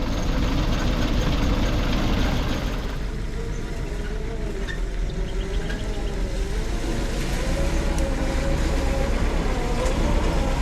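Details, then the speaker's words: 1940s Ford flathead V8 truck, sat parked at least 10 years, now revived and driving through the gears: low, even V8 rumble pulling steadily with no knocks or misses; healthy, smooth running. "well this is a lovely old uh Ford truck we've got here um it runs really nicely actually um and an even drives"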